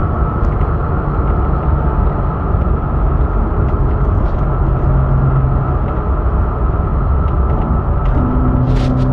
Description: There's a high pitch humming that has started a few days ago as of posting this video not sure what it is or how to address it.